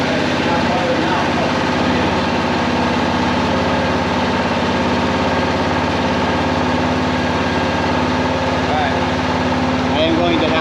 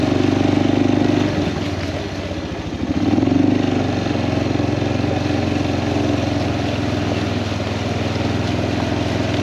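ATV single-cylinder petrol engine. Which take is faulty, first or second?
first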